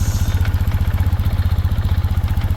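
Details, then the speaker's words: Carbureted BMW motorcycle that nearly burnt down, just restarted after fitting brand new fuel lines: steady, even low thumping idle with no misses or knocks while warming; no fuel leaks. "Alright guys, so we got it back running now. No fuel leaks."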